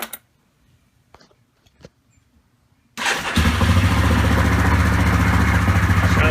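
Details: Yamaha Grizzly 660 ATV single-cylinder starting right after throttle cable replacement; silence, then it catches and settles into a steady, even thump around three and a half beats a second, sounding healthy: normal running.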